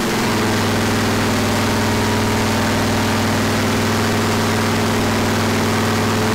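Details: Freshly rebuilt 461 cubic inch Pontiac V8 for a 1974 Pontiac, first start after fixing fuel and water leaks, ignition timing checked; loud steady rumble at even idle, no knocks, misses or squeals, healthy.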